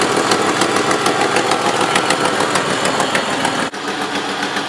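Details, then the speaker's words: 1986–1995 Jeep Wrangler YJ at idle, recorded near the engine: fast sharp ticking puff over engine noise, exhaust leak apparently at rear side of exhaust manifold, likely manifold gasket leak. "fairly often you'll be able to kind of just hear it and know that the exhaust leak is coming from somewhere in the front for us we can tell that it's kind of coming from the manifold on the backside here"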